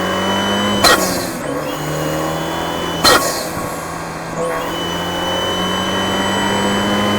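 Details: Fiat 124 Spider Abarth turbo with Forge atmospheric BOV and wastegate actuator after fixing low-rpm BOV surging and high-rpm actuator stutter by swapping springs and lowering crack pressure from about 11 to 9.5; clean steady pull, crisp puff at lift-off.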